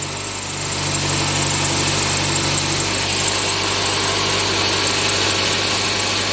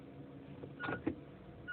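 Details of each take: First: Inspira 2.0 / Mitsubishi Lancer GT petrol engine idling after morning start: steady low drone and buzzing vibration in engine bay; diagnosed as broken engine mount, droning gone after replacement. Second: Inspira 2.0 / Lancer GT idling after engine mount replacement, recorded inside the car with A/C off: soft low steady hum, droning gone, much quieter than before.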